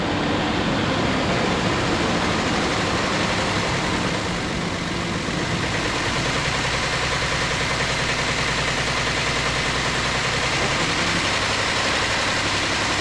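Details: 2008 Ford Explorer 4.0L engine at idle just after reinstallation: a fast, light ticking rattle, about three to four a second, rides over a steady idle; timing chain noise, and the engine was pulled apart to inspect it.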